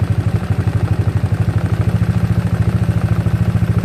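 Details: GY6 scooter engine, idle set near 1000–1500 rpm with mixture screw about one turn out: steady even low chuffing at fast idle with regular beat, no knocks or rattles; idling normally.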